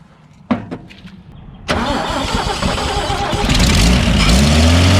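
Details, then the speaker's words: Toyota FJ45 Troopy with the 2F engine, fuel pump failing and a new fuel filter fitted: quiet clatter and a few knocks, then it catches on a spray of starting fluid and settles to a rough idle, starved of fuel. "we're gonna uh give it a quick spray fire it up and see how it goes"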